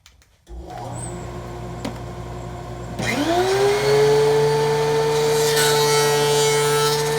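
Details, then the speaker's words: DeWalt 735 planer after chip ejector impeller repair, test pass on scrap maple almost a quarter inch deep: motor spins up to a steady hum, then an even rushing cutting hiss with no rattle; quieter than before the repair; normal cutting pass. "so we're just going to give it one pass just to make sure everything's working good"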